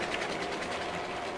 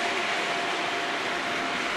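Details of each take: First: Model railway freight train (British diesel models hauling wagons) just after coupling: busy rhythmic wagon clatter with an uneven rattling tick, sounding like a derailed wagon wheel off the track. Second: Model railway freight train (British diesel locomotive hauling wagons) after sorting the first wagon that was causing front bogie derailments: even, steady rolling hiss with faint constant tone, no knocks or clatter; wheels tracking cleanly, normal running.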